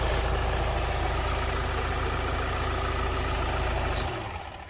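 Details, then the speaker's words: 2016 Ford Transit Custom 2.0 diesel after injector replacement, start-up check. A steady, even clatter of about four beats a second with no knocks or whine, then a clean shutdown. No noise or leakage; normal idle. "So we're gonna have a test drive, but sounds like everything's fine, no noise, no leakage."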